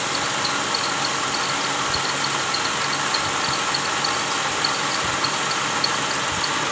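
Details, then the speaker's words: Toyota Camry 2GR 3.5 L V6 idling with AC on: sharp high chirps in time with the belt, louder with AC load; traced to the belt tensioner with worn bearing and weak spring, noise gone after replacing tensioner. "Oke guys, jadi seperti ini bunyinya ya. Ini kalau AC on bunyinya lebih kencang, terdengar di area fan belt yang ikut dengan putaran fan belt ya."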